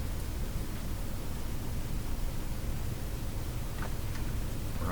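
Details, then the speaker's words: Addison 5A tube radio on the broadcast band with volume turned to full: only a faint rushing hiss and low murmur with almost no programme. It seems to receive but has very weak output; a weak tube is suspected. "it sounds like it's receiving sounds like it's receiving okay but uh it just has no volume in the output"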